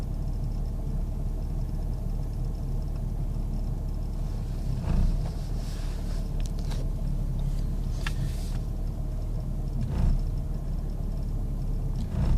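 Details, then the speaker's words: 1998 Jeep Grand Cherokee Laredo: low steady idle rumble surging every few seconds as if about to stall; rough idle, cause not identified. "just doing this all on its own. It's like it wants to stall out. I don't know."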